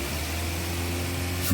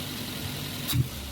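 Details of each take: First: Daihatsu Terios / Toyota Rush with hesitation and low power, no check-engine light but stored fault code, after ECU reset by pulling the EFI fuse about 5 seconds: steady idle, clean throttle blip with no stumble; normal throttle response. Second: Daihatsu Terios/Toyota Rush petrol engine after replacing the ignition coil, no load: throttle blip stumbles and hesitates before picking up; hesitation persists, so the coil is not the cause; no check-engine light, but codes found on scan.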